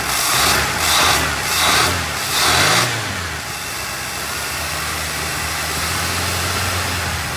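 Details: 1981 Pierre Cardin Evolution 1 in shop after throttle blips: uneven, lumpy idle that wavers and stumbles; now staying running but rough, running very rich and smoking out the shop. Distributor found very loose; cause not confirmed.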